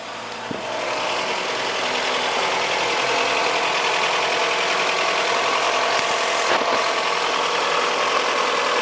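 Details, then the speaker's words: Fiat Brava engine after fine adjustment of the timing belt tensioner: steady, even idle hum with no tapping or ticking; the engine noise is resolved and the idle is normal. "eu vou remontar tudo aqui de novo é pelo jeito e foi resolvido o problema"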